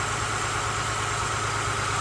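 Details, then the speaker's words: Honda Accord idling with an uneven, lumpy misfire reported on four cylinders; unplugging the cylinder 1 coil brings no change in the engine, showing a bad ignition coil that needs replacing. "that means this is our bad coil thought that'd be a cool little piece of information for you guys if you didn't know replace the coil and good as new"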